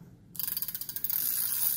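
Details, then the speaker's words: Used reel no. 3, an ST5000, about 95% condition, cranked: quick light even clicks settling into a steady smooth whir with no grinding or catching; retrieve very smooth. "rất là êm mượt nha anh em."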